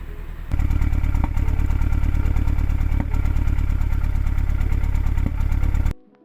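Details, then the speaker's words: MK2 Audi TT petrol four-cylinder idling rough and chugging, then shut off, with a P0301 cylinder 1 misfire that persists after swapping in a known-good coil pack and spark plug; compression is even, and the injector is suspected next. "So there are other warnings and issues with the car, but the one I'm working on right now is this misfire. Still sounds like it's there, guys."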